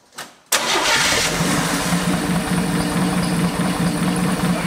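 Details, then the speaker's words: 1973 Chevy Nova after a barn fire: catches quickly and settles into a steady, fairly smooth idle with no misses. Valve covers are back on and a large disconnected vacuum hose is reconnected. "that's actually really really good. Wow. It's even fairly smooth."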